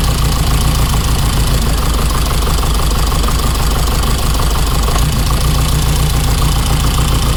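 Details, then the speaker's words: 1987 car's engine at a lumpy idle with one beat missing; one cylinder is definitely not firing, spark plug or injector unclear since the plug can't be removed without a special tool; owner suspects spark plugs; misfire at idle. "So this cylinder over here is the one that's definitely not firing at the moment, and whether it's a spark plug or an injector is hard to tell because I can't get the spark plug out."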